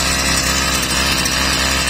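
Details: Stihl brushcutter after repair, oil-soaked air filter found blocking air and choke opened: high even two-stroke buzz at steady speed, no stumbling or surging; running clean, carburetor screws still need slight adjustment.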